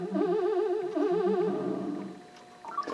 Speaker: so yeah I think our jump sound is actually pretty good um I don't know if it's identical to the other one but man is it close